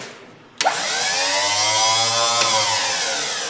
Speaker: well that's a big pile of nothing all right what's going on those are closed is it not drying oil if sounds like it's just freewheeling huh